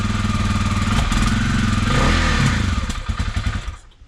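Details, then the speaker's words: 2021 Kawasaki KLX 300R, fuel-injected single, cold, after the no-start was fixed with a replacement ignition part: steady even beat before shutting off, a little rough from the cold, otherwise healthy. "maybe yeah it's probably just cold it's electronic fuel injected so it has no carb"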